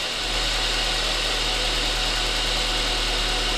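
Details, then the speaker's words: Saab 9-5 Aero after sitting a few years, new oil and battery, just started cold: smooth even idle with steady low hum, slight valve train noise at first fading and quieting as it warms; normal warm-up idle. "She sounds pretty good. She's quieting down too. I'm gonna let it warm up just a hair."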